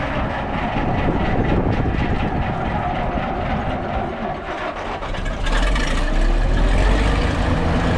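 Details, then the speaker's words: 1959 International dozer, old diesel running: heavy clatter with a constant dragging mechanical drone; the winch stays engaged and can't be disengaged, its control cable is broken, yet the machine still moves; coolant then starts leaking from the block. "It's still making that noise. Because we can never get it to disengage, but somehow or another he's got the machine to move."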